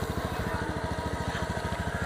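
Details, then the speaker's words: Automatic (CVT) scooter idling, heard at the CVT and exhaust during a used-bike check: quick even putter with no rattles or scraping from rollers or belt drive; normal, healthy idle. "Apakah suaranya semut seperti ini tidak ada bunyi aneh-aneh Nah itu baru teman-teman rekomendasi untuk bisa dibeli"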